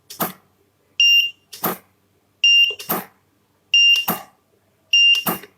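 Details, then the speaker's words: Godox SK400 studio strobe after repair of an E3 fault, tested at highest power: a sharp pop with each flash followed by a clear, high ready beep, repeating evenly about every 1.5 s; firing and recycle normal. "biasa ya teman-teman ya reload-nya bagus tembakannya bagus powerful"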